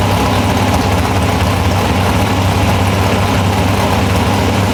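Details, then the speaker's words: Big-block V8 in a nitrous Chevy Nova after a burnt piston was replaced with two new pistons, still warming up: deep, steady, even idle with a strong low rumble, no knocks or stumbles; runs its best yet, though the carburetor needs fine-tuning. "well guys this the best has sounded or ran since we've had it and I'm still not real keen on this carburetor"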